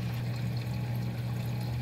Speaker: so one of them is just the trickling water kind of sounds